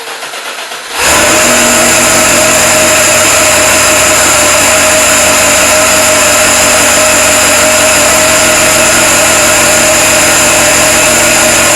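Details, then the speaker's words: Supercharged LS1 V8 Holden One Tonner, stone-cold first start on a roughly 7-degree morning, untuned: catches after a second, then settles into a steady, even idle with a smooth blower whine; normal idle. "Seems good. Let it run. It seems pretty good."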